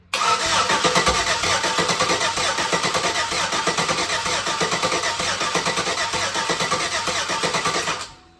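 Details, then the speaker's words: LS 5.3 V8 for a Nova swap, base-tuned with HP Tuners on the garage floor, pump commanded on, fuel pressure present (spec 58): about eight seconds of cranking with odd pops, never lighting. Only one injector was firing. "We got fuel pressure. Why we're getting some pops but not just lighting up."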